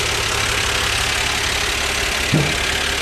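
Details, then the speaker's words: 1977 Dodge van at steady, even idle with a constant hiss and one brief bump near the end; no knocks or misses, runs like brand new despite oil and antifreeze never being checked; normal healthy idle. "Man, this thing runs like brand new. You can't believe it. Listen to it. It's just too perfect."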